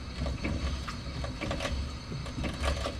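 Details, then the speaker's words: Turbo 1.6 Miata with a blown differential leaking gear fluid, car jacked up, wheels turned slowly by hand: irregular metallic clinks and clunks about once a second from loose metal inside the diff, with the driveshaft not spinning. "I'll probably show you guys spinning the wheels over just so you guys can hear the diff kind of clanking around in there I can definitely know it's a diff cuz the drive shaft ain't spinning"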